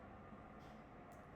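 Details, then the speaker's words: Pluggit AP310 house ventilation system fan motors, measured around 70 dB: steady, rough gritty whirring roar with no beat from worn fan motor bearings (replacement bearing 608-2Z/C3). "As you maybe can hear this one, my ventilation system starting to become very noisy. Um, start to measure measure with my watch pretty high. So around 70 decibel and yeah noise is coming from the motors."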